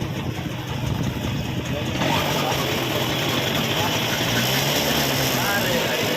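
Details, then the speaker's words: TVS XL moped after repair (clutch shoe replaced): quick, even idle putter with light chain rattle only, no knock or slap; sounds like new, normal idle. "और गाड़ी का sound जो कितना बढ़िया हुआ है, न्यू जैसे हो गया।"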